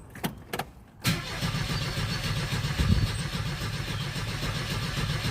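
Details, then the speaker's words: 1977 Ford Escort Mark 2 just brought home: starter cranks the engine at a steady beat for seconds but it never fires; fuel gauge not moving, tank suspected dry. "Yeah. Yeah. So, she's winding over. Okay. We'll go back and just have a look here."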